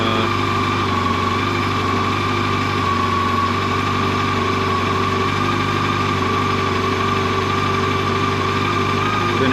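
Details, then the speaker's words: Brand-new 2024 Yamaha FJR 1300ES at 960 km, started and warming up before its first oil change; a smooth, even idle with a steady low hum and no knocks or rattles; normal warm-up idle. "first thing you got to do though is you got to warm it up so we'll we'll fire it up and uh let it warm up for 5 minutes"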